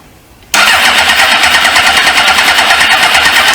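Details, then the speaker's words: 1999 Suzuki GSX-R 750 with bad engine, old swollen fuel lines, fuel pump not heard priming: starter churns evenly about three beats a second but the engine never catches; cranks but does not start. "So now we ain't firing anymore."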